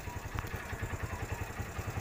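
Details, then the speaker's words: TVS Star City 110cc motorcycle at low idle: a sharp exhaust pop, a misfire, each time the throttle is closed after revving. "Accelerator लेने के बाद जब मैं down करता हूं तो मिसफायर करती है एग्जॉस्ट।"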